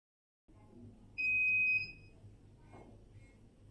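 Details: Air purifier whose lights flickered: it keeps making noise, a single sharp high beep over a faint room hum; suspected faulty keypad or loose connecting belts on the transfer plate, not confirmed.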